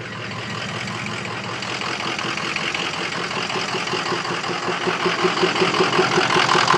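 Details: Diesel truck idling with a rattly, uneven clatter of about two and a half beats per second. Rough idle; owner suspects stiction or bad injectors, cause not confirmed.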